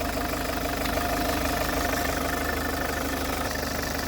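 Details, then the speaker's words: Car with about 70,000 km of poor service history, just given thick new oil, additives and dry oil filter housing, idling after startup: steady idle with fast, even metallic chain buzz and rattle; slack cam chain suspected, not confirmed. "you can really hear that chain buzzing away from here which is apparently [Music] near it's a bit loud in my opinion though"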